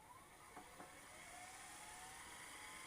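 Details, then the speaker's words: VCR rewinding tape: smooth whine climbing steadily in pitch as the reels spin up, no grinding or catching; the large rewind motor operating normally. "that's the rewind hear that this thing had a monster rewind motor on it because that was a costly thing if you didn't rewind it was not good"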